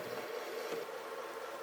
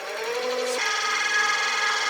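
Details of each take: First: Caterpillar automaton servo motor driving a 40:1 right-angle planetary gearbox at 6 RPM: soft, steady mid-pitched whirr with no knocks or grinding, very quiet and pleasant; normal low-speed running. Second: Caterpillar automaton servo motor with 40:1 right-angle planetary gearbox cranked past 20 up to 30 RPM: quiet tone steps up into a loud, steady high whine like a vacuum cleaner; gearbox much louder than expected at higher speed.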